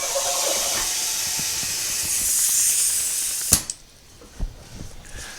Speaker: let's listen see if I got any leaks I mean that thing came up quick